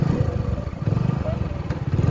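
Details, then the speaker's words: Hero Passion Pro motorcycle idling after a full engine rebuild and washing: single-cylinder idle stumbling in uneven low pops; sputtering because petrol is low, the tank having been run down during the engine's cooling run. "కొంచెం petrol తక్కువ ఉందన్నమాట అందుకే బుర్బురు అంటుంది ఇది."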